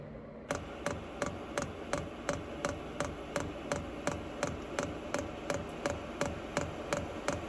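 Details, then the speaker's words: Vevor 8 kW diesel heater in a camper van, restarted after replumbing, lit on a cold day: steady soft fuel-pump ticking about three a second under low blower and combustion hush; running normally, blower and combustion louder than the pump. "It's a little bit noisier than I would like. I don't hear the fuel pump quite as much. I more hear the blower and the combustion occurring."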